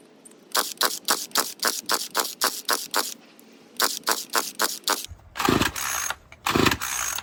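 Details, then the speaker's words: Murray M2500 string trimmer, sat outside for years, old carburetor before carb kit replacement: repeated pull-cord rasps with no catch, then two short sputters dying out; previously ran but bogged too much to cut; hard starting. "Also, I'm very surprised it didn't even run, because the very recent time I've tried to start this thing, it ran, but it bogs so much."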